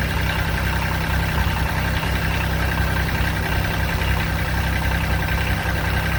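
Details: 2006 Kubota BX23D tractor, D905 three-cylinder diesel, restarted after valve adjustment and valve cover leak check: steady, even low diesel thrum at idle with no knocks, misses or rattles; healthy and settled.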